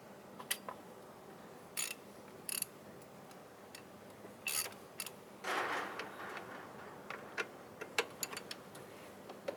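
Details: Mitsubishi Pajero: the old idler pulley, with the belt loosened, is spun by hand and gives scattered clicks and short dry rasping whirs from a worn bearing. It is the suspected source of the engine noise and was replaced.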